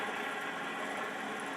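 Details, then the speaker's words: Range Rover Classic engine, fan removed, belt tensioner pulley spun by hand: dry gritty rasping rumble; bearing dry of grease, to be replaced with a new bearing. "See, that's the tensioner. Dry. So we're going to put a new bearing in that."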